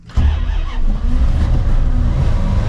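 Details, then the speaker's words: 1989 Dodge D250 revived after sitting over 12 years, freshly fired up: the engine settles into a fast, steady, deep rumble; idle is a little high, and the owner expects it to come down. ">> Oh, it idle's a little high. It will come down. It will come down."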